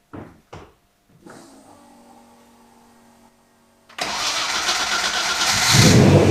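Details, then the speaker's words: Twin-turbo Ford Capri after resealing the chamber with new gaskets and resetting the throttle stop; a few clicks and a brief crank, fires at once and settles into a steady idle without hunting. Vacuum leak fixed. "okay so as you see that was a success um i turned the throttle body back up again and if it i've only it happened when it started just a tuning issue"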